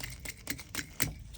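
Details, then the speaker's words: Vissani HVBC31ST beverage cooler not cooling, compressor not starting and clicking; removed compressor start device shaken by hand gives loose, irregular rattling clicks, showing broken internals, bad 100%. "that's is bad when they Shake they're bad 100%"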